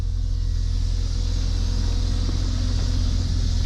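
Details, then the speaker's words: 1991 Jeep Cherokee Briarwood just revived after sitting several years with new fuel tank, pump, filter and fresh gas, idling with oil pressure: deep steady even rumble, no knocks or misses; normal running. "got her running i am super stoked about that she hadn't run in a long time we just started so smart thing to do here just to let her idle for a little bit"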